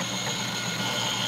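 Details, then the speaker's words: Refurbished industrial HDPE plastic shredder with repaired plastic gears, freshly greased, driven by induction motor instead of hand crank: steady even high smooth whir, no clicking or skipping; sounds good, normal running. "we got the shredder we got it ready let's crank it up it sounds good right it's all greasy she's so greasy"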